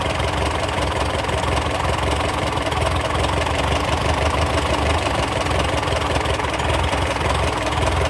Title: TO35 No more loud ticking sound